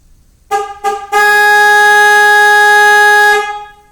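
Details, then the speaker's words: 2006 Chevy Express 3500 van with a plug-and-play remote start installed; panic is triggered by holding the remote lock button. Two short honks, then one long, steady horn blast of about two seconds. "To activate the panic feature, press and hold the lock button."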